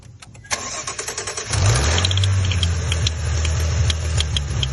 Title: Maserati Ghibli 2018 Ticking noise